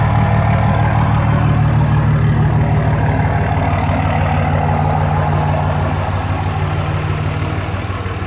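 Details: 2004 Dodge Ram 5.9 Cummins after replacing bad injectors: deep, even diesel clatter at idle, about three beats a second, no misses or knocks; idling smoothly and healthy.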